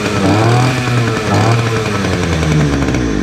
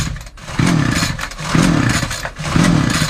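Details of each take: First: Titan two-stroke petrol multi tool strimmer, started on choke after new fuel lines and new spark plug; buzzes up and down with throttle blips, no stumbling or cutting out, some smoke, runs well, though its tank isn't venting properly. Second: Hard-starting Titan two-stroke multi tool strimmer, loose bolts, before new plug; three pull-cord strokes give raspy cranking that never fires, though it has spark and plenty of compression; suspected fuel starvation from a tank not venting.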